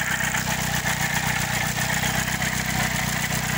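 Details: Chevrolet Celta at idle with a recently started noise: a rough metallic scraping over the engine's even pulse; owner thinks it is the rusty, worn water pump grinding metal on metal.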